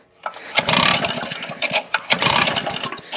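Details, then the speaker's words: Recoil-start small engine after five months stored: repeated pulls spin it with compression but it never fires despite a new spark plug and choking; old stale fuel in the line suspected. "just can't get a spark to get it to fire and uh that kind of stinks cuz it's got compression."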